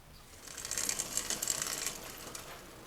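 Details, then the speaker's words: Giant Cypress hybrid bicycle during a tune-up: freewheeling drivetrain ticks with sharp, high chirps as the dry derailleur squeaks for lack of lubrication. "you can hear the squeakiness we could take care of that quick once I go grab lubrication"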